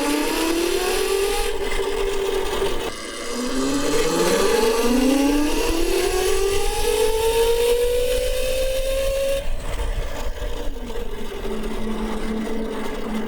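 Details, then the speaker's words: CyberX e-bike with the stock chain drive, flyby recorded on the camera microphone: a loud whining drone climbs in pitch as the bike passes and then fades. The chain noise comes from a worn front sprocket. "But the biggest complaint was how loud it is with the chain drive on it. It's loud, dude. I mean, for an electric bike, that chain noise, I actually thought something was wrong with the bike right when I took it out the first time."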